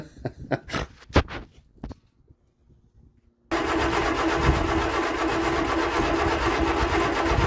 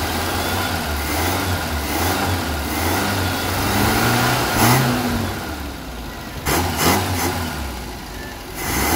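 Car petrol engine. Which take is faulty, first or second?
first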